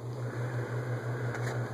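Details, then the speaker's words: Lasko-made Sears Turn of the Century ceiling fan on high speed, low ceiling, with vibration-isolating material fitted: steady low 60-cycle motor hum with a slow pulsing throb, louder than everything at high; suspected resonant frequency, cause unclear. "I don't know if you can hear the 60 cycle hum I can but there's a lot of other no background noise in the video so I don't know if it's being picked up and high hum's louder now than everything"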